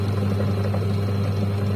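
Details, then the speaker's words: Washing machine (owner reported very loud wash motor noise) after repair, motor test-run: steady, even low hum with no knocks, scraping or wobble; the wash motor now runs smoothly and is fully fixed. "यह photo की पूरी तरह ठीक हो गई है इसमें कोई दिक्कत नहीं है"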